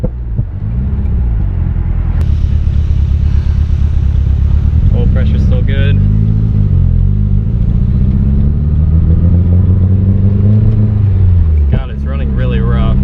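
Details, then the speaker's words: Nissan 240SX with built SR20DET on first start-up and break-in, oil temp about 230°F, oil pressure 25 psi at idle, water temp fine: loud, lumpy, uneven idle, running really rough; owner suspects timing needs adjusting after backfiring. "hopefully it goes well still got good oil pressure it's running really rough"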